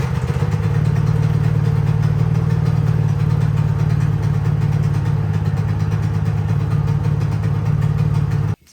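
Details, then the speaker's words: Honda EU3000is inverter generator that starts but smokes badly and makes no power: low, uneven, lumpy note at steady speed; the air filter is clean. "um it will start but it smokes really bad and it's not making any power so we're gonna troubleshoot what is going on"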